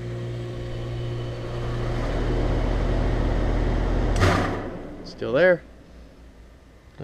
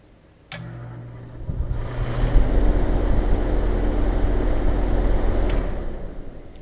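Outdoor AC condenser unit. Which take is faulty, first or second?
first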